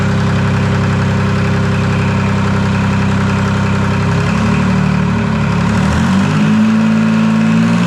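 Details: Detroit 3-53 diesel first start after 25 years, camshaft reversed after a backwards install in its 2000 rebuild, no exhaust or driveshaft fitted: steady, even rumble at idle, then smooth clean rise in pitch when revved, no knocks. Normal running.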